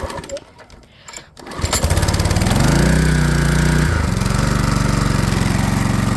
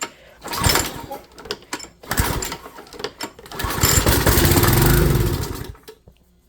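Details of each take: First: Flathead Briggs and Stratton small engine after carburetor replacement, filled with 91-octane ethanol-free gas: pull-start catches at once, revs up and settles into a steady, even drone with no misses; normal running. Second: Small engine with carburetor, starting fluid sprayed into the carburetor: rattling pull-starts, then catches and runs rough a second or two before fading; starts only on fluid, so carburetor needs cleaning or replacing.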